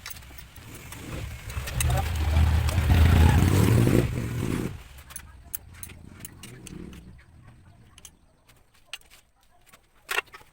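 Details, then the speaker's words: Motorcycle single after valve clearance reset (previously ticking and weak on climbs): revs, then settles to a fuller, even beat with no valve tick. It is still cold but idles well, running healthy and smooth. "Mas bumuo yung kanyang tunog. Pansinin nyo, malamig pa yan pero maganda na yung kanyang idle."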